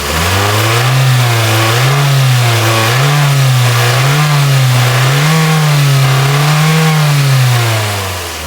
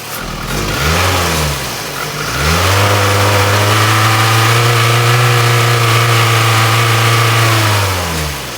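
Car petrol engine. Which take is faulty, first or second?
second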